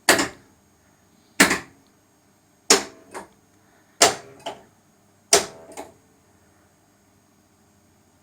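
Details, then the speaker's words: Sega/Stern pinball power driver board coil test: sharp coil clunks about every 1.3 s, some doubled, silent gaps where coils should fire; dead driver outputs; owner suspects a coil shorted through the lamp matrix. "doing the coil test it appears we got a whole bunch of bad coils and flashes so I'm imagining someone shorted out a coil through this the uh lump Matrix at some point"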